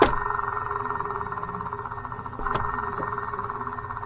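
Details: Ford 4.6L V8 running: steady whirring ring with a faint rhythmic flutter at idle; the worn accessory belt idler pulley bearing is junk, and the belt tensioner is also bad.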